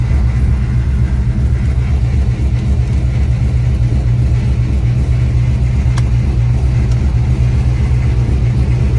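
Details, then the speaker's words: 4.2 V8 car with performance exhaust: loud steady rumble with a faint stumble about twice a second, a misfire on cylinder one. "let's fire this thing off for you guys you can hear the misfire it's on cylinder one"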